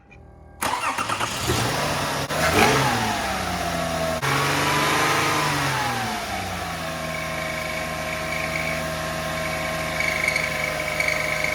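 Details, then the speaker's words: 2005 Lexus ES330, 3.3 L VVT-i V6, after cold start: loud wavering squawk dropping in pitch as revs settle to idle, loudest behind the timing cover; belt or something under the timing belt suspected. "I's hope it' be just a power steering pump or alternator or something but that noise was most predominant and loudest behind the timing cover here"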